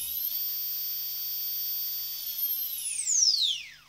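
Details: Toy RC helicopter converted from a brushed DC motor to a small brushless motor with ESC, motor running alone without the gear: a clean, steady high whine with no grit or rattle, then a smooth falling spin-down; normal unloaded running.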